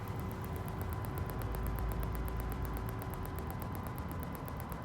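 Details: BMW X5 E53 in reverse, ignition on, engine off: fast, evenly spaced high clicks about three per second over a low hum from a rear parking sensor; this sensor works normally.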